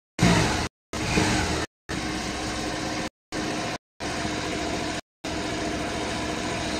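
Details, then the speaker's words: Suzuki Burgman Street 125 scooter after fitting an ISC (idle speed control): idles slow and soft with a lazy, uneven beat that never rises to normal; idle speed still low, unchanged by the repair. "yan, walang nagbago sa ating minor master, mababa pa rin yung ating minor."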